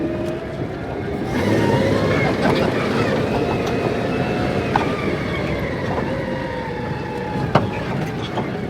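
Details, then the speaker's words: Truck in two-wheel-drive low range on its replacement transfer case, fitted because the heavy-duty competition unit's straight-cut gears were too noisy: steady gear whine rising gently in pitch over driveline and tyre noise, the expected normal low-range whine. "I'd say we got the expected amount of low-range gear wine they all whine in"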